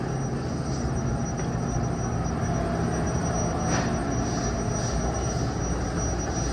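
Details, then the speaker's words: Turbo Air walk-in freezer, R404A, roof-mounted compressor: steady low hum with faint high whistle, running normally after replacing the failed Supco 3-in-1 hard start kit that had let no current through and left it not starting. "好，转了，转了，就是那个东西坏了，就是这个3合1的那个东西坏了。"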